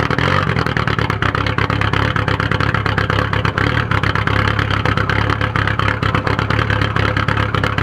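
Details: 1997 VW 1Z 1.9 TDI diesel that suddenly began idling rough with white smoke a few days ago: uneven, lumpy, stumbling idle with no steady rhythm. Cause unknown.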